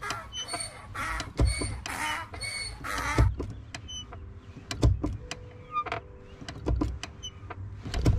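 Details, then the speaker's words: 2014 Subaru WRX hatchback clutch pedal squeaks with repeated short squeaks when pressed, possibly from the pedal spring area; fixed with lithium grease. "this one's for the subi bros does your clutch make a squeaky noise when you press on it like this"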